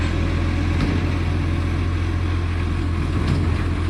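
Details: Millicent Commercial Garbage truck SL01074 diesel idling: steady low rumble with a rough, uneven puffing chuff layered on top, from a big exhaust leak.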